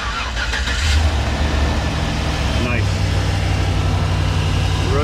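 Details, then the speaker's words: 2014 GMC Savana 2500 van LS V8 started after new spark plugs and wires, before doghouse refitted: quick start, deep steady even idle with no stumble, shake or misfires; running smoothly. "smooth no shake survive through misfires etc in good shape here"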